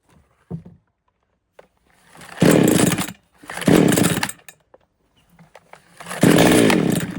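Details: Foresta chainsaw that would not start, after replacing the worn, loose carburetor needle lever, needle and diaphragms: three quick throttle blips, each revving up cleanly and dropping back without stumbling; normal running.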